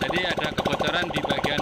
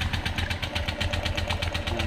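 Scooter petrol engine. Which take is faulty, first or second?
second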